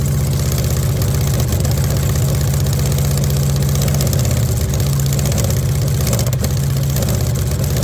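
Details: VW Beetle rat rod air-cooled engine at first start after long rebuild, twin carburetors not yet tuned: deep low idle with uneven, slightly lumpy beat that never settles; rough idle from unbalanced carbs needing synchronizing, lacks earlier pop.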